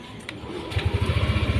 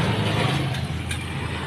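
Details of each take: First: First-generation Yamaha Aerox 155 after repair, the clatter's cause found in the top end and fixed, final check idling around its standard 1500 rpm: quiet, even low putter settles in with a steady pulse; smooth normal idle. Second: First-generation Yamaha Aerox 155 with oil pump cover off: starts and revs with a rough, steady metallic clatter; metal fragments found inside resembling a crankcase bearing's rollers, suspected broken bearing.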